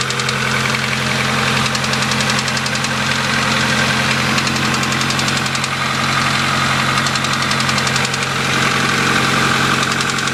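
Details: 1992 Honda Accord petrol engine at idle with a steady, fast ticking-knocking; owner unsure if rod knock or needs adjustment, oil and coolant just topped off, oil change planned to check for metal shavings.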